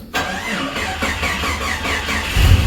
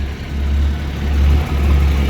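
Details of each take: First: 1989 Jeep Comanche 4.0 automatic, battery reconnected after drained by repeated start attempts: labored slow cranking that nearly catches and sputters before fading; weak battery, then it restarts. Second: 1989 Jeep Comanche 4.0 automatic 2WD after earlier no-start: steady, deep even rumble at idle, no ticking or knocking; healthy, owner guesses neutral safety switch caused no-start and oil pressure gauge may be bad.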